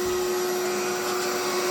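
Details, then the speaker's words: Electrolux 2100 vacuum running with power nozzle: steady loud roar with a strong fixed whine and harsh, rough edge; motor sounds tired and louder than expected, possibly a replacement motor, cause unknown. "Now this power nozzle seems to be in good shape and seems to sound good. But the vacuum, I don't know. It don't sound too hot in my opinion."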